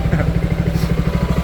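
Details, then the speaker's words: Yamaha XMAX (old model) idling at 1500 rpm with a custom cross-cut clutch bell, Daytona double clutch pads, 1500 rpm centre spring, 15 g rollers: quick, even ticking rattle over a low idle, from the cross-cut clutch bell. "Ini bunyi. Karena di kartel jadi bunyi dia, karena ini gitu loh. Beda deh ada bunyinya."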